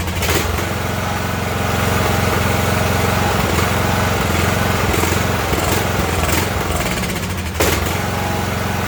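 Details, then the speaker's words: Ariens riding mower, 20 hp Briggs & Stratton Intek, surges and dies: engine hunts up and down, sagging then catching; spark stays present, brake cleaner into air cleaner steadies it, so fuel starvation causing surge and stalling. "so we had spark all the way to the end i shot that brake cleaner into the air cleaner there and you heard it was straighten it back up so we know there's a fuel problem"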